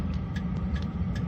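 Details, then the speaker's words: Chinese 5 kW diesel heater with upgraded quieter exhaust, warmed up and running off a solar generator: low steady combustion rumble, light fuel pump tick about every 0.4 seconds, not overly loud. Normal diesel heater running. "It's not overly loud anymore."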